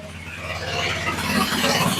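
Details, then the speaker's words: Small go-kart engine, just restarted after sitting, carburetor refitted, with a little choke: buzzes at a quick steady pace creeping up slightly; runs fine but idles a bit high, later turned down. "sounds pretty good. She's not moving much, but with the front tire the way she is, I don't think she would. Idle's just a little bit high."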